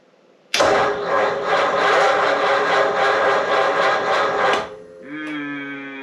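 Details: 1937 Ford taildragger with 59AB flathead on a six-volt system, hot humid day: starter churns slowly at about four beats a second for four seconds and never catches; owner blames a bad new battery, possibly also a failing coil.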